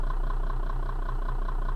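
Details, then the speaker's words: 2005 Toyota Camry 30, 333,000 km, running on LPG after gas injector replacement: rapid even ticking about eight per second over steady idle; loud gas injector clicking, audible in cabin, suspected from mounting to rail; new injectors said to quieten with wear-in. "виключив дуже голосно чути форсунки да були прохомні поставив двох помні"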